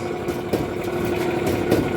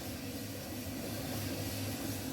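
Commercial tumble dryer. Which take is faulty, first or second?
first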